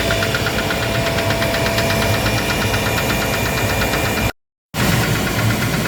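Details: Gardner Denver screw air compressor: a steady drone with a fast, even knock. The knocking came from a defective pressure valve and was fixed by replacing it.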